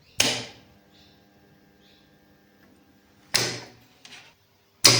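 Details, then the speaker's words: L&T three-phase starter contactor, tested after fitting a new coil and contact blades: three crisp, solid clacks a second or more apart, each pull-in clean with no buzz or chatter; the contactor works properly. "Current ಸಪ್ಲೈನ ಕೊಟ್ಟಾಗ contactor work ಆಯಿತು. ಅಂದರೆ coil ಚೆನ್ನಾಗಿದ್ದರೆ ಅಥವಾ ಕಾಂಟ್ಯಾಕ್ಟರ್ನ ಬ್ಲೇಡ್ಗಳೆಲ್ಲ ಚೆನ್ನಾಗಿತ್ತು ಅಂತ ಹೇಳಿದರೆ ಇದೇ ಥರನೇ ವರ್ಕ್ ಆಗುತ್ತೆ."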